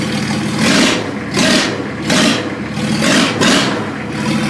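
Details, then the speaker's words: 1954 Ford F600 body on a 1995 Toyota Coaster bus chassis: the engine is blipped about once a second and rises and falls cleanly without misses or knocks; normal running. "Hey! We have a running Frankenholer. We have wipers that work."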